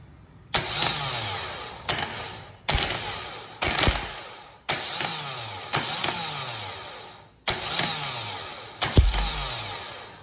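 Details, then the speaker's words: Chevrolet Vectra starter motor: repeated short whirring spin-ups that wind down, sometimes working and sometimes not; intermittent starter. "Então vou encostar ele aqui algumas vezes vocês vão ver que tem hora que ele funciona tem hora que ele não funciona e esse aí é meu maior problema"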